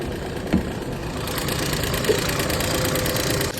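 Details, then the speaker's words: 2013 Volkswagen Jetta 2.0 L, ticking began after oil ran low a few days earlier, no engine light, coolant fan code stored: light fast top-end ticking over an even idle, steady and not building; cause still to be found. "Now there is no engine light but you guys can hear the noise."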